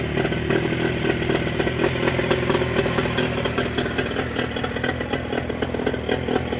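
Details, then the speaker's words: Mercury 25 HP two-stroke outboard after Boyesen power reeds installed, in neutral; steady fast even popping, no misses or stumbles, running very good: normal idle. "send me your reaction again running very good hey it works great"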